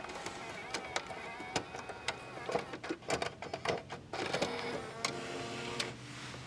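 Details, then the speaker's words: Normal CD changer operation in a 2007 Toyota Camry XLE V6 with premium JBL audio: a quiet run of small clicks, ticks and short whirs as the disc mechanism shuffles and loads, with nothing amiss. "as promised the CD player makes all sorts of really cool"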